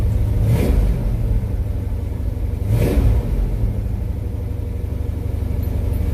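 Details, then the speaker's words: Subzila 1986 truck with 496 big-block V8, first start after installing Accel Extreme 9000 ceramic plug wires: blips up twice then settles into an even, steady idle with no misses, pops or sputter; running normally. "Sounds like it's running right. We're hearing any popping or sputtering. Ooh, it sounds smooth."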